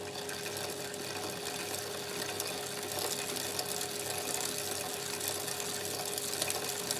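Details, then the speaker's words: Chain on wet lubricant after adding dry contamination: steady gritty grinding hiss with faint whine as absorbed contamination keeps grinding between links, expected to continue about 10 minutes before slowly dissipating; wet lube absorbs far more than solid lube/coating. "so we can hear that grinding away there's so much more has been absorbed and it's just continuing on and continuing on and that is just going to keep grinding away"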